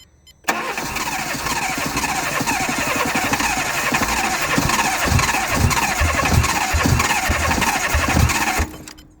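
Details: Fiat Grande Punto 1.2 non-start after an immobiliser ECU network fault, running once a broken oxidised wire is fed 12 volts; a few quick starter turns, then it catches and idles steadily; normal start.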